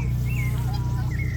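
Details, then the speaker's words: Volvo S40 with nearly 90,000 miles and no headlight washer fluid: high sliding squeaks over the steady engine drone as the headlight wipers sweep. "you can kind of just see them squeaking above the top"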